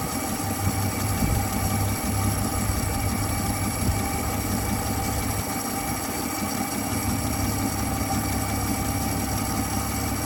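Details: 1959 Dodge Coronet engine idling after its sticking carburetor needle valve was fixed (it had not been letting fuel in, so the car would only start when primed); deep, steady low rumble with an even beat, no misses or knocks; normal idle.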